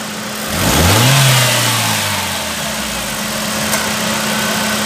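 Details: 2009 Chevrolet Prisma 1.4 flex that misfired under quick acceleration, after repair: clean rev rising smoothly then settling to a steady idle, no stumbles or pops; acceleration misfire gone.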